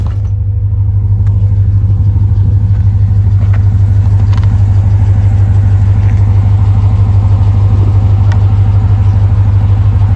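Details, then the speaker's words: 1988 Chevrolet Suburban V8 with camera propped up: deep, strong rumble rising and settling evenly through a couple of revs, no knocks or misses, normal healthy revving. "But anyway, I'll put the camera back here so you can hear a couple of revs. It sounds pretty good."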